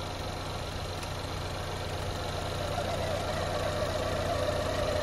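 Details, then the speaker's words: 2010-2016 Chevy Equinox 2.4L Ecotec at operating-temperature idle, PCV hose removed with screwdriver at the manifold port: thin whistle rises and holds, showing PCV orifice in intake manifold pulls vacuum and is not clogged. "and you hear it start to whistle another note to quickly make is you want to have your engine at operating temperature before you do this so one more time that's the whistle we're talking about"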